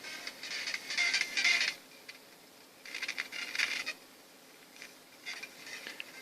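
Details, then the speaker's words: 1992 Soundcraft Spirit Live 4 16-channel mixer bought in bad condition, stiff dirty faders: music cuts in and out, swelling and dropping near silence as the left fader moves. Intermittent fader signal dropout. "And the left's quite dodgy, it will cut in and out. You can probably hear it gets louder and quieter as you're moving it a little"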